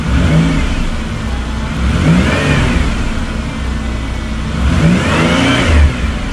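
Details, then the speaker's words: 2000 Chevy Impala, 103,000 miles, just after fuel pump replacement with new AC Delco pump: two clean revs rising and falling smoothly, no knock or whine, quiet, fuel pressure right; normal revving. "yeah sounds good nice and quiet pressure is right"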